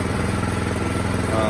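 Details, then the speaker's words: 2017 Troy-Bilt Storm Tracker 2690 XP snow blower after carburetor replacement (part 951-15236), choke off: a steady, even low-speed putter with no surging. Normal low idle after the fix. "there it is running nice and smooth uh choke is off no more surging running nice and smooth the throttle is smooth low"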